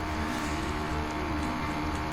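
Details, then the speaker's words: Small two-stroke motorized bicycle droning unevenly while riding, four-stroking a lot because jetting is still being tuned after upgrades like a high-compression head and new crank seals, with the pipe not yet upgraded. "you can hear it four stroking quite a bit throughout this video and part of that big problem is that I did all these upgrades and I never upgraded the pipe"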